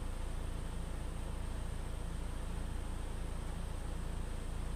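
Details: 2013 Ford EcoBoost 1.6 L petrol engine idling smoothly with a low even pulse and steady speed after cleaning the mass air flow sensor cured a rough idle.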